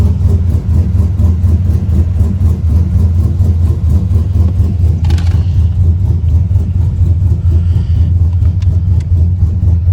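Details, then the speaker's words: 6.0 LS built into 6.2 with TSP cam, untuned stock 6.0/4L80 PCM, near operating temperature: choppy uneven idle lope with irregular stumbles; scanner shows multiple random misfire, blamed on the untuned cam, plus an evap code from a missing valve. "Yeah, so I put the scanner on, and multiple random misfire. The evap system. The evap system is because he doesn't have a little valve hooked up, or he doesn't have it on this truck. But the misfire is obviously the cam, and it's not tuned."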